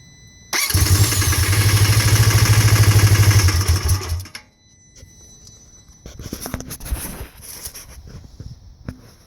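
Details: 2015 Polaris RZR 1000 that randomly stalls or won't idle, before replacing the faulty MAP sensor connector; it cranks, catches, revs unevenly for about 3.5 seconds, then dies.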